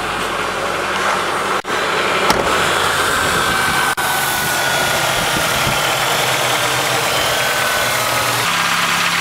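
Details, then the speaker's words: 1999 Ford Ranger 2.5 L four-cylinder after fuel injector replacement done without removing intake; starts and settles into an even idle hum on all four cylinders, no skipping, faint hiss above, running properly. "Well, we're running. And it's running on all four. So that's a lot better than it was when I started."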